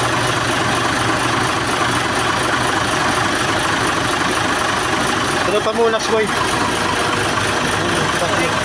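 Steady diesel idle with an even low beat and no misses or stumbles; the truck is running smoothly at idle.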